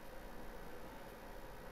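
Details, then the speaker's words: SPL700 amplifier, Skytech: steady, even whooshing rush as the cooling fan runs constantly at full speed with no thermal control; a thermal fan control is to be fitted. "what i don't like it's the cooler i think you can hear it the cooler is on full speed and makes a lot of noise and i will put a thermal control thermal fan control for this cooler"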